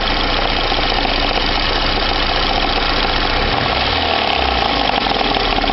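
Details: VAZ 2109 engine idling after warm-up to operating temperature, with a fast, steady metallic tapping over the engine note. It appeared two days ago and persists when warm; an engine knock of undetermined source.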